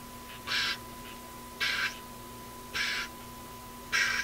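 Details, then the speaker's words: Airline 62-264-425 tube radio during local oscillator alignment, hum reported by owner: harsh buzzy pulses about once a second over a steady whistle, RF interference from an office computer 25 feet away in sleep mode. "the one of the worst offenders is my office computer which is 25 feet from here not when it's operating but when it's in sleep mode when it's in sleep mode it puts out a Whopper of a signal a pulsing signal"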